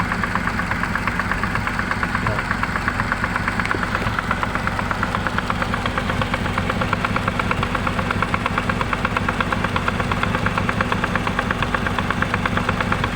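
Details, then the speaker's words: Honda CR-V gen 2 automatic transmission, engine idling, before repair: harsh rapid knocking about three per second from gearbox; gear fault and unseated shaft from previous rebuild. "Nah jadi kemarin itu waktu kita hidupkan mesinnya terdengar suara kasar di bagian matic nya"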